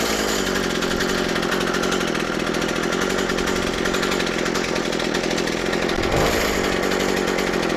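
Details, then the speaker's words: McCulloch MH542 P hedge trimmer after primer bulb replacement, shield off: steady high buzzing two-stroke on half choke, even and smooth with no misfire or surging; running healthy. "sounds lovely. I'm happy with that."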